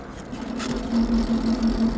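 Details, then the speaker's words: Aipas M1 Pro e-bike, about 90 days old, showing error 03: while coasting in pedal assist 1 or 2 (not 0), a pulsing mid-pitch grinding hum chops on and off; owner suspects the motor or the assist engagement mechanism; motor noise under pedal assist. "So, I'm guessing there's something wrong with the motor."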